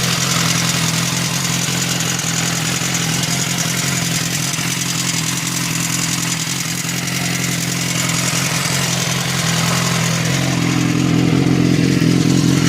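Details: BMW S1000RR at steady fast idle with light metallic clatter throughout; rattling butterfly valve.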